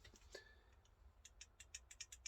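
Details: Arrma Infraction 3S brushless, drivetrain turned by hand with sharp light ticks about six per second around 20-tooth pinion and ~56 spur; owner suspects diffs, pinion or spur, thinks gears fine, bearing possible.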